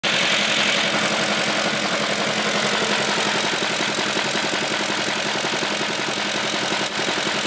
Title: BMW e38 m62 engine knock